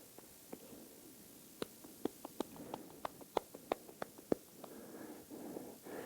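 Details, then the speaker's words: 2002–06 Toyota Camry original strut mount removed and rocked by hand: light dry uneven clicks from a worn bearing moving in its race; with a softened rubber bushing this caused the clacking while driving. "that's the bearing and if you look closely you can see it moving back and forth inside the race so the the softened rubber bushing together with this worn out bearing was making the clacking noise"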